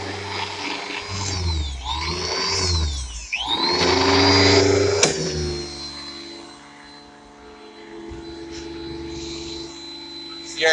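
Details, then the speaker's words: Bissell Lift-Off vacuum motor: pitch repeatedly sags and climbs back every second or two instead of holding steady; it surges with almost no suction and gets weaker as it heats up. "basically uh struggling pretty bad here I gotta say it's on the worst walking back you've ever had I mean listen to it just like yeah yeah it's like no power at all"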